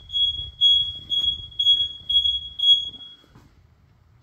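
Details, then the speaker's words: Home alarm tested at night by opening the back door, fitted with a hidden magnet sensor. The linked smoke alarms double as the intrusion siren, loud enough to be heard. Six piercing high chirps about half a second apart; smoke alarms sounding as intrusion siren. "Så man kan sige, at det er effektivt, og man bliver i hvert fald hørt, og når man går indenfor, så bliver man også støv."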